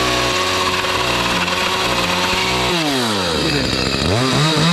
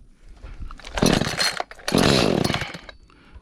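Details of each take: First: Echo CS310 chainsaw after carburettor cleaning and tune-up to cure no-start, no-idle, no-cut, cutting pallet wood: crisp high buzz revving up and dropping between cuts, clean pickup and steady pull; runs healthy. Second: Echo CS310 chainsaw two-stroke, brought in for no start, no idle, no cut, just after carburetor change, first fire with choke: ragged surging bursts then drops off, won't hold steady; erratic running, needs carburetor tuning.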